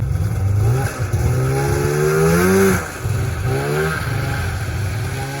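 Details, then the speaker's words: 1994 Polaris Indy 440 two-stroke snowmobile, rebuilt fuel pump, factory airbox reinstalled, cold around 5°C: revs climb then flatten and sag, won't pass 4–5K rpm, idle slightly low; bog, possibly from the reinstalled airbox. "well it's not dying anymore although it's seems to be bogging a little bit last time I had no issues at all H hitting Red Line this time it doesn't seem to want to climb past 4 or 5K"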